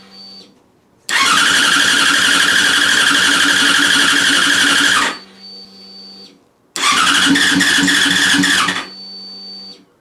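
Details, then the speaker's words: Yamaha FZ6 first start after a project rebuild, no silencer fitted, fuel pump primed: the engine fires straight into a loud open-pipe rev, settles, blips cleanly and returns to idle, a normal start and idle. "the fuel pumps just primed up so fingers crossed we'll go for a start see what happens"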